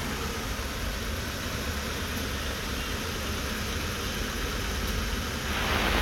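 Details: Toyota 1TR engine after a full overhaul that followed loud knocking: it starts easily and settles into an even, steady idle with a smooth low rumble and no knocking or missing; it runs cleanly.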